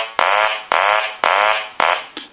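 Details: Hand-painted wooden duck telephone after repair, ringer on low setting: evenly spaced nasal quacks about half a second each with short gaps; ringer cycles cleanly and steadily, normal operation.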